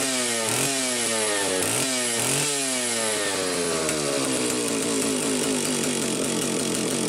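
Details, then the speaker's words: Homelite 750 chainsaw test run after repair (drum reseated, duckbill valve fitted in leaking oil cap), tons of compression: crisp two-stroke snapping up through quick revs, then settling to an even steady high buzz with no misses; runs healthy. "there's so much so much fun they have so much power and I mean you listen to that sound it's like holding the damn Harley"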